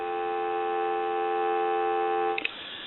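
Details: AE Monophone rotary desk telephone after repair, final checks on an analyzer; a steady, clean dial tone holds evenly for over two seconds before being cut off; the handset receives properly.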